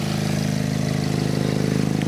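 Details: MK7 VW Golf R idling with a steady loud note and a rapid puffing pulse: exhaust leak escaping from the braided flex section at the installed downpipe's bend, no visible holes.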